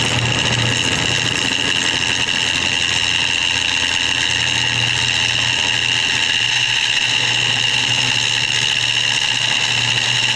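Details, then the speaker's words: Woodturning a bowl of banksia pods and epoxy on the lathe, gouge cutting with the bevel rubbing. A steady, even hiss with no rattling chatter, unlike the earlier chatter on this hard material. "so now I'm going to do it where the bevel is rubbing and you're going to see a noticeable [Music]"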